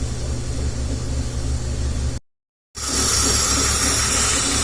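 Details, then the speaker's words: 2003/2004 BMW 325xi petrol engine idling with a loud, steady hiss from the back of the intake: a vacuum/induction leak, possibly at the mass airflow sensor bellows or a small nipple, causing misfire at idle, lean codes 227/228 on banks 1 and 2. "the sounds like this thing is that our vacuum we can hear hissing noise in the back area of the intake - right most definitely this is that could be leaking for the mass airflow sensor any induction League rather bellows the little nipple right here"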